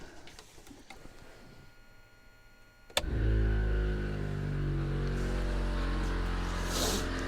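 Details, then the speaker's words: ARB air compressor in a GQ Patrol, after cleaning the pressure switch and sealing it: a click, then a steady low hum builds to pressure and switches off; compressor running normally, fixed. "Well, it sounds like it's getting up to pressure. Well, it got to pressure and it turned off. Fixed."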